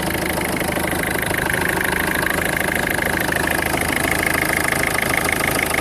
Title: Strange engine noise Peugeot 1.4 HDI 2004